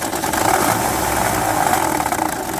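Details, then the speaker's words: 2006 Honda Odyssey engine running: busy metallic rattle over idle that gets louder and harder when accelerating; mechanic gives a 50% chance that replacing the timing part with an original cures it, hoping the camshafts aren't damaged. "como ven mi gente ahí estaba el ruido cuando acelera viene más ruido de ahí suena más duro"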